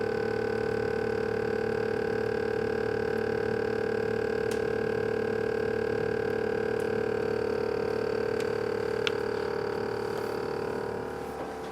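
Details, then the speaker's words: GE Profile refrigerator model PSS26SGRC, loud steady mid-pitched hum with fixed tones from the freezer side; owner suspects the fan, source unconfirmed. "As you can see, my fridge is emitting a very loud noise from the freezer side. It appears to be the fan, but if you've experienced this problem or if you have knowledge on how to solve this problem, I would love to hear your ideas and suggestions."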